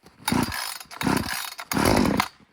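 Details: Brand-new Little Beaver TCS4600 chainsaw, first-ever start after hours sitting in a truck in the cold, choke out, fuel purged: three short pull-start bursts, each catching and popping briefly on choke. A normal cold first start.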